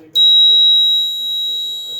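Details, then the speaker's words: Fire station alarm system with 7002T horns, unsilenced after reactivation: loud, piercing high tone steady about two seconds then cuts off cleanly; horn sounding normally, each alarm a different pitch. "So I'm gonna unsilence this and make it so you can hear. So all the alarms have different pitches."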